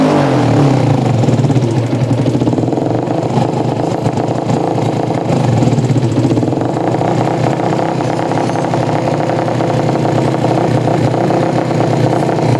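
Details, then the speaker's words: Yamaha Jupiter MX that wouldn't run, loud open exhaust, sputtering and stumbling when throttled, won't take gas; mechanic suspects carburetor fuel mixture too lean or rich, otherwise ignition fault. "Oke, Mas Bro. Intinya motor ini mbet brebet brebet begitu. Oke, berarti rumusnya adalah brebet. Merebet adalah kekurangan BBM atau kelebihan BBM."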